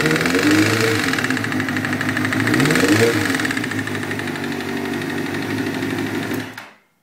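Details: 1998 Kawasaki ZX-6R four-cylinder idling and revving with a hard, rhythmic rod knock, confirmed as a spun rod bearing.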